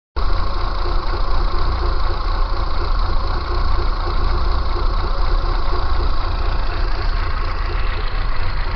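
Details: Kia Pride: low, lumpy idle pulsing unevenly with abnormal shaking. Rough idle, cause not determined.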